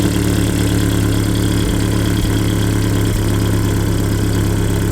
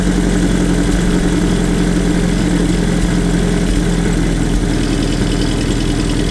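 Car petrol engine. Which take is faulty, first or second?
second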